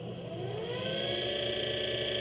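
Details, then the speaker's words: Electric minibike motor, unloaded, on its controller running test code set to acceleration 10 and top speed 10. Holding the button, a smooth electric whine climbs steadily in pitch and falls on release, with no roughness or clicking; normal ramp-up. "it accelerates when i let go it decelerates and if i do it sometime in the middle hopefully you can hear that but it's accelerating and decelerating"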